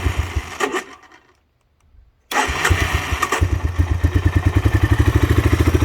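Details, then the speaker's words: 1985 Honda Big Red three-wheeler, sat almost five years, part broke off carburetor since when it won't idle: starts after short crank, chugs with uneven pulses, needs a little choke while running to keep from stalling; carb gone through, cause unknown. "it starts up pretty good the problem is it always needs a little bit of Choke while running"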